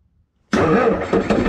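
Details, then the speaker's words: Bobcat skid steer loader with an intermittent starter fault, during starter circuit voltage-drop testing: sudden loud whirr with no cranking rhythm or compression pulses; the starter spins without engaging the engine, bad starter suspected. "it tried to store but didn't crank only rotated"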